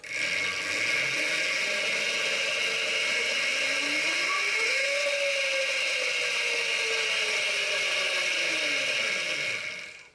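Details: Electric scooter motor fitted to a Quadra Sprint, tested after the chain was aligned and installed with the old master link. Motor whine climbs in pitch, holds, then winds down with a light chain whir; drive runs freely without binding.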